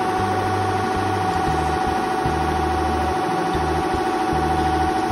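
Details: Richpeace double-head template sewing machine running properly after fixing a main shaft that was out of its origin (stop) position and re-timing it: steady mechanical hum with an even stitching rhythm of about three beats a second, no jams or knocks.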